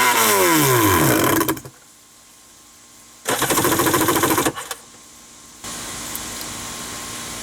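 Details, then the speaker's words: Wave Raider personal watercraft that starts on starting fluid and runs only when held at full throttle, with the water hose connected. Hard bursts die away between pulls and it won't idle; fuel lines, filter and check valve are being checked, cause unconfirmed. "i could literally hold it full throttle and run but then it wouldn't like idle let me do that right quick we're gonna run it full throttle for a minute"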